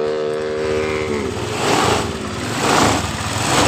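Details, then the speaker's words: Honda Vario 125 scooter starts and idles normally but stumbles and dies as soon as the throttle is opened; check the DLC socket for stored fault codes. "hidupkan motor hidup dengan normal tapi ketika kitaarik seperti ini motor mati sekali lagiarik"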